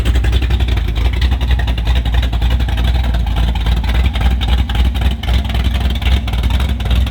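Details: Car with Summit Max E5500 fuel injection kit after replacing a faulty injector (part 193300545-3): deep steady engine note, no misses, stumbles or knocks; all four injectors spraying, runs cleanly.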